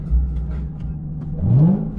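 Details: Lexus at dealer auction inspection before a test-track drive: a deep, smooth V8 rumble climbs cleanly through a quick blip and settles back, with no knocks or misses; healthy engine revving.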